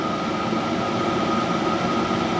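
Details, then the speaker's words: Cheap eBay diesel heater on the bench running at full output, starting from about 11 degrees: a steady, loud, even roar with a faint high tone and no surging or popping, burning cleanly and throwing out a lot of heat. "but yeah you can hear it now can't you it's uh it's really roaring along how you put these in a camper van under a bed and go to sleep i'll never know"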